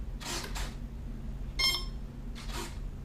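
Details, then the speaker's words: Dynam PBY Catalina with an E-Flite Apprentice SAFE receiver, switched on with the throttle down: two servo whirs, a beep, then another double whir. The control surfaces are cycling through a normal power-up initialization check. "go ahead and switch it to the on position. You can hear all the control surfaces activate."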